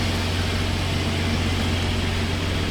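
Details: 2016 Ford F-150 3.5 V6, once called locked up, idling after its first start while burning off thick fluid in the cylinders: steady low even hum, no knocks or ticks, no change in rhythm, engine quiet; normal idle.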